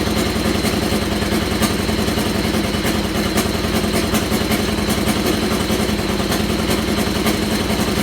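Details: Buggy engine on its first start in 2–3 months on old gas, running rough and smoking: sharp ticking puffs over an uneven idle in time with firing; exhaust leak from a stripped, loose left exhaust stud falling out.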